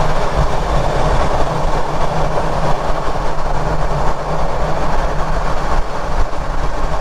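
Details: Ford Ranger Raptor at speed, mic at the rear diff near the prop shaft carrier bearing, while hunting a grinding noise: a steady, even driveline rumble with no grinding; normal rear differential and driveshaft noise.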